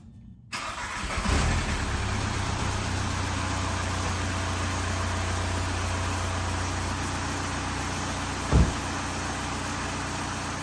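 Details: 2003 VW Jetta TDI wagon with a 1.9L ALH diesel, 20+ years old, started after the intake manifold was installed and the manifold gasket, MAF and EGR valve were replaced. Short crank, then a steady, even diesel clatter at idle with no misses. Normal start.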